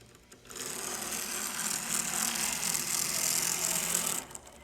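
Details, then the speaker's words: HO scale model subway chassis running the stock Bowser mechanism supplied with the kit: harsh, high, gritty whir for about four seconds with a rapid ragged buzz; noisy gears grinding, before swapping to an Athearn P42 mechanism. "Hear how noisy that was? It sounds like gears just grinding."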